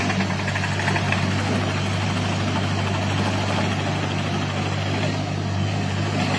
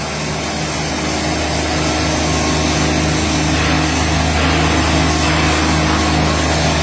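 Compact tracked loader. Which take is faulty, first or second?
first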